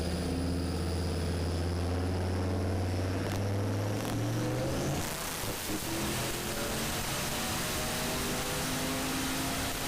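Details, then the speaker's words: LS turbo-swapped Ford Ranger with a 10 lb wastegate spring on a dyno pull: a strong exhaust drone under load for about five seconds, then ragged sputtering as it cuts out. Fueling is suspected wrong; the cause is unconfirmed. "you can hear it cutting out the fueling is not right something's not right"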